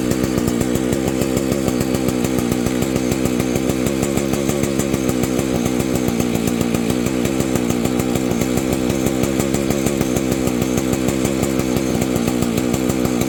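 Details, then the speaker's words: Husqvarna 285 two-stroke chainsaw after a crankshaft seal replacement, original ignition: starts easily, revs and idles with a steady fast two-stroke pulse, then stalls, repeating after a few minutes' wait; owner suspects an ignition problem. "so there's my dilemma it'll start easy it pumps it'll idle and then it just stalls"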